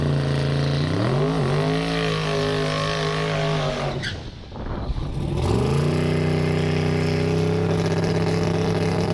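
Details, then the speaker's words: Twin-turbo Fox on methanol during a pass: revs rise, dip sharply at the gear change, then hold almost flat through second/high gear because the torque converter is too loose. "You may have noticed in that last clip that once the car got into high gear, you don't really hear the RPM change at all. It ended up being that the converter was a little bit too loose and it pretty much held flat all the way through second gear."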